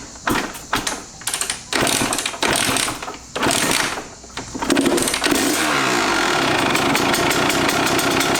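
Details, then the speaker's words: Kawasaki KX125 two-stroke, first start after sitting far too long, following dripping: several kicks, then a buzzy, uneven rough idle. Owner considers it understandable; cause unconfirmed. "happens okay well she has a rough idle which is understandable"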